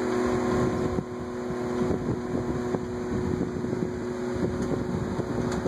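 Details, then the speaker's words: Vornado twin window fan, oiled yearly: two steady motor hums slightly apart in pitch under wind rush, the left one lower but gradually rising. One motor is running slightly slower. "it's like two different pitches it's like applying two notes at the same time and the note on the left is just slightly lower but it's gradually increasing"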